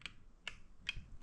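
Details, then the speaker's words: Bobcat 751 skid-steer glow plug relay gives four sharp clicks, but the gauges don't drop as they normally do when the glow plugs draw current. The glow plugs have quit; the cause is suspected to be the button, a shorting glow plug or a blown fuse. "But right now nothing. And I can I can hear the relay clicking back there."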